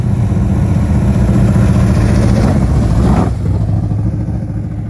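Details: 1967 Chevelle retired race car with a garage-installed engine, radiator and exhaust: deep, lumpy, loud V8 rumble that settles and quiets after a throttle blip, running strong and even. Normal idle.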